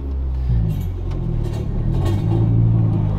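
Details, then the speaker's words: Budget Honda Civic just after installing a wheel-well air intake, exhaust hanger off and pipe sagging: deep engine rumble with irregular scraping rasps over the revs, worse than normal; exhaust scraping on the ground. "can hear that it's worse than normal yeah that it's scraping against the ground"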